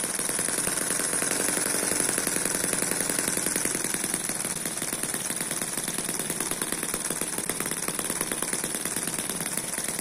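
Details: Eachine EM1 (same as M14) four-stroke opposed double-piston mini engine holding a steady low speed; it is not a high-speed engine. Fast, even buzzing tick like a sewing machine, with no misses or knocks. Smooth normal running.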